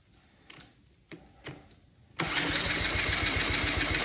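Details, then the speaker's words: Swap-meet Honda CT70K1 being brought back to life: starter churns steadily at wide-open throttle with starting spray and fuel in the bowl, sounds like it's trying to catch but won't start; owner wonders whether compression is too low. "really man it sounds like it's trying to catch"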